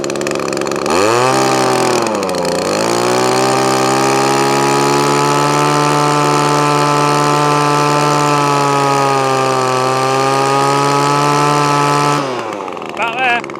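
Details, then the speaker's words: Echo ES2400 two-stroke leaf blower with replacement copy carburettor fitted, missing and bogging before: high buzzing run with slight hunting and an early dip; carburettor out of adjustment and needs tuning. "so it does need a bit of a tune"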